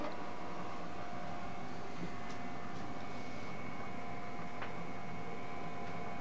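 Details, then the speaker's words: Marco/Nidek OPD Scan ophthalmic instrument after board resoldering and fans cleaned of dust (power supply fan bearings cleaned); smooth steady low hum with faint even whir, no grinding or rattle, quiet like a regular computer. "okay it's fired up oh listen to that nice and quiet sounds like a regular computer"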